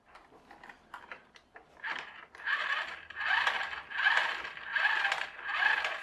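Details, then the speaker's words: HL Toys RC bulldozer power scraper (HL 3058) differential gearbox with 3D-printed replacement gear: wheels turned by hand give dry ratcheting clicks about once a second, gear slightly undersized with slack, skipping teeth; needs reprinting slightly bigger. "I think this gear might just be a tiny bit too small. Might have to print it again just a little bit bigger, because when I put this on and just turn the wheels, I can hear it clicking, because there's a bit more slack in there than me holding it in place."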